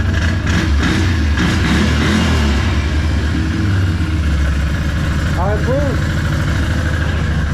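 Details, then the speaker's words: Can-Am ATV started after installing radiator relocation and Wild Boar snorkel kits plus service; maintenance-required light still on needing reset; steady smooth low idle, no knocks or rattles, normal idle. "Everything sounds good. Everything seems good."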